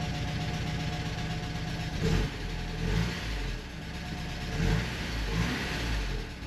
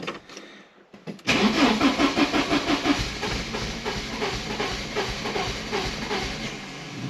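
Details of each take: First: 1985½ Porsche 944 non-turbo after replacing both reference sensors: restart catches into an even idle and takes quick clean blips on all cylinders, with some lifter tap; injectors may be partly clogged. Running healthy. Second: 1985.5 Porsche 944 non-turbo, long parked, after replacing both crank reference sensors; the tach bounces, showing a reference signal. After a second of silence it cranks at about three beats a second with a few weak pops that never catch: the engine is flooded.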